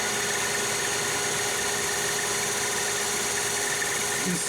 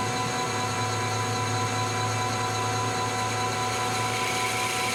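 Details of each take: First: Lathe turning heat-treated CrMo 4140 steel at the highest speed used, after a rough finish at 440 RPM: steady, even cutting hiss with a constant ring and no chatter or squeal. Chips and finish much improved, like aluminum; normal cutting. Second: Lathe facing hardened and tempered 4140 chrome-moly steel at slow spindle speed, 0.025 depth of cut; steady hum with harsh gritty hiss, finish not great, higher RPM to follow; poor surface finish from low cutting speed.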